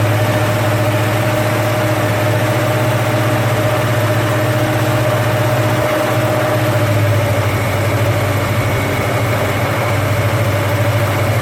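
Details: First start of a rebuilt 289 V8 after an almost two-year restoration, never run before: an even high idle around 1800 rpm, smooth drone, no knocks or misses. Oil pressure is great and coolant is warming. Healthy running-in.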